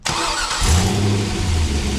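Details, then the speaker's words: LS V8 engine on a DIY run stand, no coolant, after replacing a starter that was not disengaging from the flywheel; catches quickly into a smooth, even idle with no grinding, the noise gone, a normal start and idle with good oil pressure. "that noise totally went away. And that engine is firing up perfectly."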